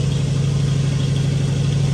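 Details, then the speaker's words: Ford 390 FE big-block V8 station wagon after cam break-in with new stainless exhaust and Black Widow mufflers with H-pipe; deep, even, crisp burble at idle, no ticking or misfire; normal idle. "I'm not sure what that sounds like on camera but that sounds a really crisp good sounding I like how the hpip Mellows it out"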